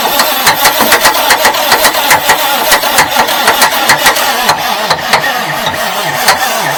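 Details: 1989 Marmon truck diesel, fuel solenoid open: slow, uneven cranking at about two turns a second with no firing. The engine makes oil pressure but the starter runs hot and sounds too weak to spin it. Slow cranking from a weak starter.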